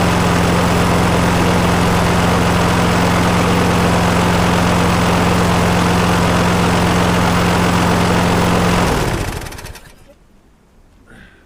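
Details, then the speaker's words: 2009 Viking lawnmower before repair, suspected bent crank after hitting something: runs at steady speed with heavy regular shudder about four times a second, shaking enough to hurt the hands. "as you can see, it is uh it is shaking quite well. And actually, it does sort of hurt the hands a little bit. It's not excessive, but um it's it's definitely not right."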